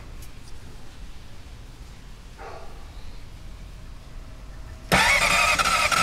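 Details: 2006 Honda CBR600RR, 34,500 miles, sat four weeks: starter whirs and labours about a second without catching; slow crank, no start because the battery would not hold a load; replacing it fixed it.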